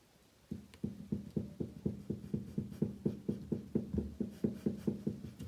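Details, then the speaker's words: Renault Megane 3 / Scenic 3 1.5 dCi: the strut is held still while the worn shock absorber rod is rocked back and forth, giving steady dull knocks about four a second. Shock absorbers, top bearings and mounts were replaced. "І от зараз шевелю ось тако, туди-сюди. І цей шток стукає."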